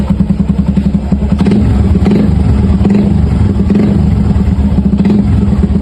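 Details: Suzuki Gixxer 150 single-cylinder idle: sharp, evenly spaced metallic clatter riding on each firing pulse, suspected piston slap, not confirmed.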